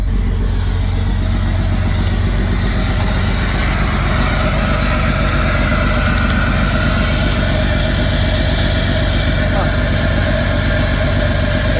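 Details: Jeep six-cylinder cold start after ultrasonic injector cleaning and finding corroded #6 injector plug; steady even rumble at idle, no knocks or misses, faint hiccup usual on first start; rear injector suspected of previously not firing.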